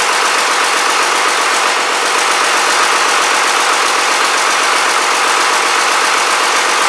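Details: Rebuilt Cummins 12-valve diesel on its first fire-up, boost tube not yet connected: a steady, even clatter with no misses, knocks or hunting, a normal idle.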